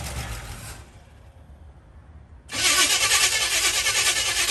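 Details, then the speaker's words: 1964 Chevy C10 with HEI ignition and electric fuel pump, started after sitting 7 years on a replacement battery: starter churns about three turns a second but never fires; fuel pump heard running but no fuel seen from the line. Cause unconfirmed. "oh I I hear the fuel pump we got nothing I am hearing the fuel pu"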